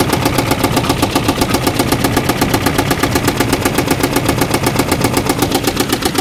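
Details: Vehicle started days after a failed run: idle with steady even tapping about four per second, rough underneath, not really a knock; coolant smell, owner suspects a blown head gasket.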